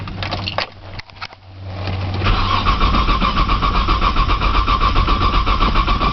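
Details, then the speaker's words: 1995 Nissan Maxima, 210,000 miles, push-button start, in snow and cold, new battery; a few stumbling turns, then steady even cranking about four per second that never catches; owner suspects a bad sensor; crank, no start. "again man she does not want to crank today it's a good did for y'all I don't think she going to crank"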